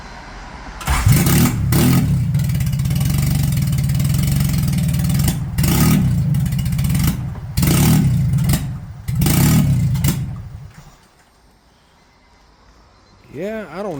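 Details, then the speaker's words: H22A Euro R engine swapped into a 1997 Honda Civic EJ coupe: revs surge and sag with lumpy, hesitant blips, rough running possibly because MAP and TPS connectors were hooked up backwards. "It might actually be hooked up backwards. I guess we can try to switch them around really quick just to see for sure."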